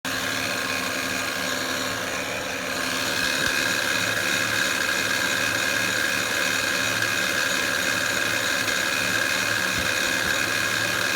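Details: 2007 Honda Pilot EX-L with 282k miles developed an engine humming noise: a steady whining hum over the idle that sweeps up and down in pitch as revs change.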